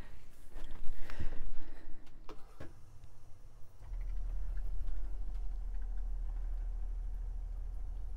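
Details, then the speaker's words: Whale onboard diaphragm water pump in a 2011 Bailey Unicorn caravan, reinstalled after dismantling and cleaning the diaphragm, cushions back on: a low, even hum with a soft steady pulse, running normally and much quieter than before. "I think that's a success because that's a lot quieter than what it was before"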